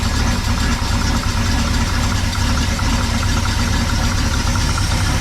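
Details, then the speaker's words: 1974 Ford F100 4x4 390 FE big block, timing about 10°, fuel pressure about 4.5: heavy, lumpy, uneven lope over deep rumble, extremely rich idle; owner suspects a clogged, wet air breather element. "just seems extremely rich to me I don't know why"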